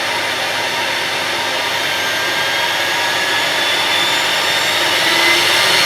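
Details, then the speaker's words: Electrolux Z5010 Excellio vacuum, sold as brand new but in poor condition, exhaust filter missing, started on minimum power: a steady, loud airy roar with a hissy top end. Excessively noisy; owner suspects the missing filter. "Well, I think that's noisier than it should be because obviously there's no exhaust filter which would muffle the sound."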